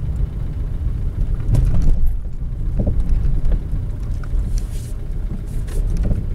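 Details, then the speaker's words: Car driven over bumps with engine switched off: dull, soft irregular rubbery thuds from the rear over road rumble; cause found to be a worn rubber bushing in the rear shock absorber mount. "الصوت واضح، أما صوت من الخلف أما صوت قوي من الخلف."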